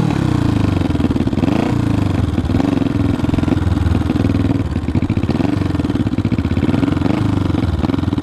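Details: 1974 Honda CB500T cafe racer that runs but struggles to stay running. The exhaust beat is uneven and lumpy and wavers as the throttle blips. It runs rough; the owner plans a carb rebuild and carb sync, but the cause is unconfirmed.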